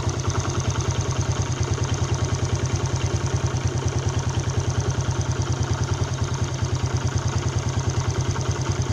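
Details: A Yamaha Jupiter Z Robot motorcycle engine idles with a fast, harsh clattering pulse of about three beats a second over a low drone; the rough engine noise is being diagnosed, with the one-way starter clutch swapped for a Vega ZR part.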